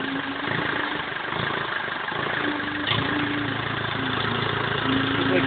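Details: BMW E46 320d 150 hp diesel, first start after overhaul following swirl flap failure: settles into even idle, steady clatter, no knocks or misses; normal idle.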